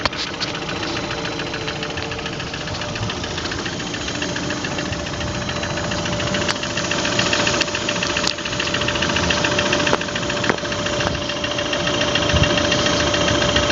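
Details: Running engine with a sharp, fairly regular knock of about three to four per second that gets louder as it continues. Engine knock.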